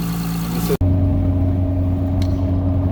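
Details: 2004 Saturn Vue 3.5L (J35) after replacing a failed 10k-mile Gates timing belt kit: after a brief cut, steady even idle with constant low hum and no knocks; no codes or misfires found afterward.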